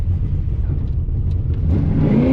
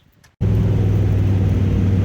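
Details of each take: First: V8 drag car with a carburetor on gasoline after E85 and larger jets, during a drag pass: it pulls hard, then stumbles and drops out briefly. It is breaking up under load. The cause is unclear and fuel is being ruled out. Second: Drag-and-drive race car with an upjetted carburetor, switched from E85 back to 93 gasoline after breaking-up problems, with a very rich, safe tune after 3 iterations: the engine catches and settles into a deep, steady low rumble with no misses or knocks. It runs normally.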